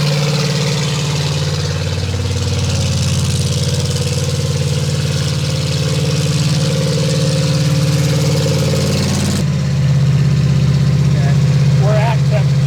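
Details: Brand-new fuel-injected 350 Chevy V8 on first run, RPM raised slightly under light load, 18 in vacuum, 60 lb oil pressure: even, deep burble at steady idle with no knocks, misses or ticking. Motor judged to sound fine; normal idle.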